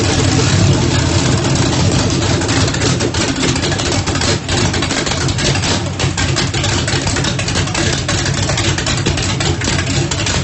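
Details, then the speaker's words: Freshly rebuilt turbocharged small-block Chevy V8 (1800 hp build) with a Lil John camshaft in a Mustang drag car, first start after rebuild, primed with brake cleaner: loud, choppy, loping idle with deep exhaust rumble; sounds healthy. "it sounds pretty healthy I couldn't hardly breathe but it cranked up and it runs so I am super excited what do you think Keith good sounds pretty healthy Littlejohn camshaft"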